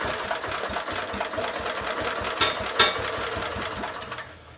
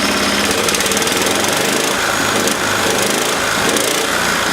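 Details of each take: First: 1970s Honda E2500 generator, a couple of ml of fuel syringed down the plug hole, choke on: quick uneven popping for a few seconds then dies; engine fires briefly on primer fuel but won't keep running. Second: 1970s Honda E2500 generator after governor readjustment: small engine holds a steady, even high-pitched buzz with no misses, knocks or surging; running smoothly and healthy.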